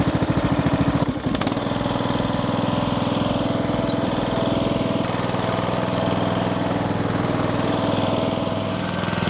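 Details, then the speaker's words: Craftsman LT3000 riding mower, Briggs & Stratton single-cylinder, after carburetor work and new fuel filter screen, choked: steady even fast idle with no misses, knocks or surging; now running normally. "Oh yeah, I'm happy. Happy to have that thing running."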